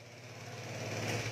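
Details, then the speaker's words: Vespa scooter, carburetor (IC AC 19) being reworked: hard to start, catches and idles unevenly for a moment with a wavering tone, then dies after running briefly; fuelling not holding it running. "Ừ rồi chúng ta sẽ khởi động này có nói giao không nổ được có khó nổ này ưng nó là chết giờ nó ạ khi chết"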